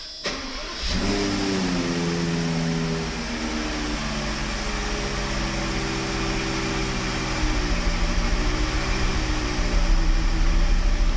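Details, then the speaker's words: Mercedes 600SEL V12 starting and idling unevenly with a stumbling beat. A diagnostic computer shows two cylinders cut off, cylinders 7 and 10 (codes read 1 and 4). Cylinder 10 is worst and 7 misfires intermittently. It runs variously on 10–12 cylinders. "We have 2 cylinders cut off. That means that they're shut down. Therefore we have misfire."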